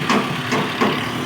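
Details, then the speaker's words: Suzuki Cultus EFI idling after replacing a noisy belt adjuster (tensioner) bearing that had made a metal-on-metal noise; even idle with only light tappet clatter, no bearing noise left, engine healthy. "पहले बहुत ज्यादा sound था bearing का अब सिर्फ engine का और टपट हल्के फलके आवाज कर रहे हैं बाकी जो पहले आवाज आ रही थी बेरिंग की वो आवाज खत्म हो गई"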